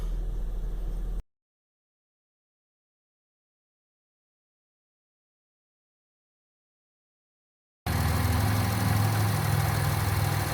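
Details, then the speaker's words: 2003 Acura MDX idling while steering left and right after replacing the leaking power steering reservoir O-ring: steady, even petrol idle with no whine or groan from the pump; noise gone. "So I'm inside the vehicle, steering left and right. It's pretty smooth, no sound."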